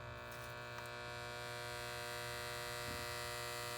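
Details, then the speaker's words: Contactor pulls in on a no-cooling call (blower running, clean filter, 240 V supply) but the compressor never starts; steady harsh buzz with no capacitor hum, suspected worn or pitted contactor contacts, not confirmed. "contact is sounding kind of bad I don't hear the hum of guests as in a bad run camp"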